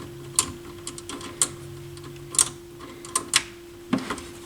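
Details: McIntosh MAC 1900 stereo receiver bought on eBay, powered up on an FM station with speakers on: irregular sharp clicks and crackles about once a second over a steady low hum; intermittent internal noise, cause unknown.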